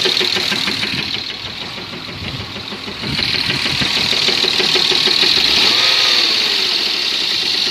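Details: BMW M50 engine at idle: steady crisp tick-knock about three times a second; unexplained knock, source unclear.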